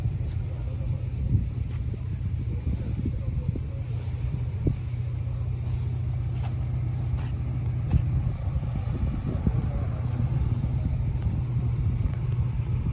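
Steady low two-stroke burble with sharp irregular pops and ticks riding on it, consistent with a leaking rusty exhaust.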